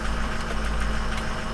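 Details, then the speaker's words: 2004 Ford F-250 diesel running after a crank-no-start was traced to low FICM voltage and fixed with a new BulletProof Diesel FICM power supply; ICP about 1,320 psi. Steady idle with normal light clatter, no misses. Normal. "so I ordered a new power supply from bulletproof diesel out of Mesa Arizona and I put it in and my truck crank cranked up"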